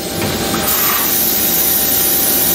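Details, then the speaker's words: Thunder Laser Nova 35 100W laser cutter with Ruida controller, cutting 3 mm MDF: constant, even air-assist hiss at about 10 psi with faint motor hum, no flutter or sputter; air assist works normally, switches off automatically. "hear that that's the air at fairly high pressure when i say high pressure that's only i think it's 10 tsi you can use it a lot more than that"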